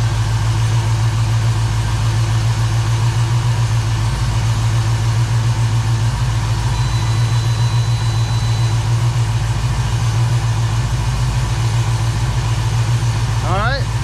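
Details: 1969 Chevrolet Camaro V8 after AC system replacement, idling during freon charge (about 18 psi low side, 140 high): steady even idle, compressor pulling without hesitation; healthy.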